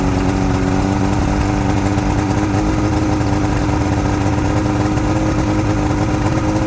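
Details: Outboard motor on junkyard Ebb Tide bass boat, run on a water hose after sitting; even steady idle, constant low drone with no misses or knocks; normal idle.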